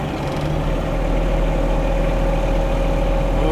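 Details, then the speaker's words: The reefer unit's own diesel engine on a DAF LF 210 refrigerated truck, said to be the quietest in its class: deep, steady clatter settling into an even idle with no misses or knocks; normal. "Вот такой нормальный серьезный звук дизельного двигателя. И представьте, это еще самый тихий в классе дизельный двигатель у автономной холодильной установки."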